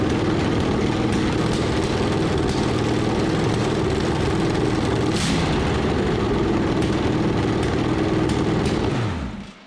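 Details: Bone-stock ~100,000-mile 1986 Chevrolet van 350 small block, crank pinned, new plugs and intake gaskets, blower fitted, open exhaust straight out of the heads: loud raw even rumble holding steady until shutdown; flames from all cylinders, firing on all cylinders.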